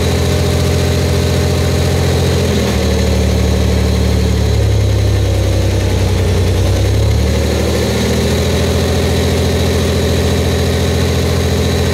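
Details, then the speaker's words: Buick Grand National, freshly rebuilt engine at cam break-in, run about 10 minutes at 1500–2000 rpm: fast idle lifts smoothly to higher revs and back with an even, unbroken beat, exhaust slightly loud from an untightened down pipe; running cleanly. "looking pretty good no leaks No Mess anywhere we're doing good they're fired right up first shot I'm impressed with that"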